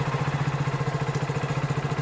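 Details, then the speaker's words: Hero Splendor BS6 bike just after a cold start, temperature-sensor automatic choke raising idle to about 1739 rpm on the OBD live data: quick, even putter around thirteen beats a second, steady and unbroken; normal cold-start fast idle. "अभी RPM 1739 है और यहां पर हमने इधर से second चालू कर दिया है अभी आरपीएम ज्यादा है"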